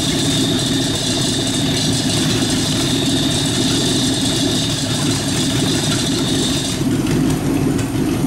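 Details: Rat rod truck idling with a York AC compressor converted to a belt-driven air pump for an air-bag suspension, building tank pressure, switch set near 100 psi; steady idle with even mechanical chatter from the pumping compressor, normal.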